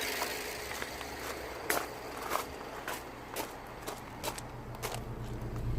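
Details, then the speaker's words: 2009 BMW 318i E90 (believed 2.0 petrol) after repair of cylinder 3 misfire, codes cleared, heard at exhaust: steady, even idle with smooth low thrum, no misses or pops, footsteps over it; engine running normally. "moment of the truth and definitely running good let me show you you show the exhaust"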